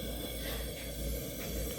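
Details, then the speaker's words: Restored Albert Lea Foundry Tourist camp stove, gasoline burner with preheated generator: steady roaring hiss with even low rumble, no sputtering or surging, clean flame; normal burner operation. "Now I can hear it. Woohoo! Fire! Pyro time. Yeah. That is pretty dang nice flame right there."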